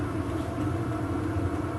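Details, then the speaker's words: VEVOR 8kW diesel heater on auto mode, outlet air measured 54°C by probe: steady low combustion rumble with light even pulse, no sputtering or hunting; running well, plenty of heat; normal. "so that is the actual air temperature 54c that's on the auto say it's running really well and putting out plenty of heat"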